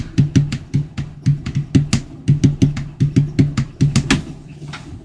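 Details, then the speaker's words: Gen 1 HomePod plugged in, idle and not playing: irregular low thuds and pops, roughly three per second, not too severe; attributed to bad amplifier filter capacitors causing DC offset, checked before repair. "Okay, so it is popping. It's not too severe."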